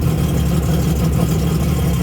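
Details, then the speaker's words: Sea-Doo XP X4 with swapped-in Spark ACE 900 four-stroke, first run on Yamaha flush adapter testing open-loop cooling, water coming through (possibly backwards), low fuel; even, steady low rumble, smooth idle, no knocks or misses; normal idle. "I am going to monitor it to make sure everything's alright, but it looks like we got water coming out and it's doing kind of what it's supposed to do, even though it's got low fuel."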